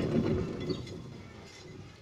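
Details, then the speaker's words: Worn, noisy wheel bearing with large play at the wheel hub; the wheel is spun by hand. A gritty, uneven rumble and knock fades as it coasts down; dangerous. "Olha só que perigo que tá o rolamento. Roncando demais."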